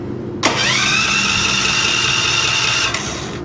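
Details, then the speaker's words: 3 kW dual-fuel electric-start generator, 13 A 220 V: the starter whirs at a steady high pitch for about 2.5 s without firing because the fuel selector switch was in the wrong position. "all right so that doesn't seem to work let me switch this the other direction just to see if that's what I'm doing wrong"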